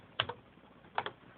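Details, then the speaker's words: Panasonic Business Partner 150 (Tandy 1100) laptop floppy drive after repair (spindles cleaned with alcohol, new belt): paired clicky head-step ticks, bursts about 0.8 s apart; drive reading normally. "something I don't know it's reading it so the drive seems like it's fixed up"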